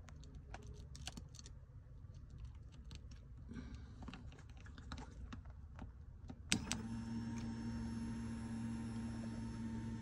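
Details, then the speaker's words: Nissan GT-R R35 with code P1220 and broken fuel pump fuse, pump wired directly to power and ground: a few clicks, then a steady, even electric hum; fuel pump runs normally. "I don't know if you can hear, but I can hear the pump. My pump is good."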